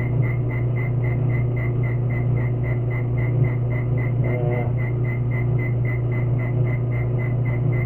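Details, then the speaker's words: Lathe boring out a 1955 Chevy power steering valve housing, fixing the damaged bore where the rubber cup runs so a brass bushing can fit. There is a steady hum with a rapid, even tick about four times a second as the tool catches the out-of-round bore. "So I'm just trying to fix the spot that's bad where the rubber cup goes. Hey, you hear it? Out of whack there."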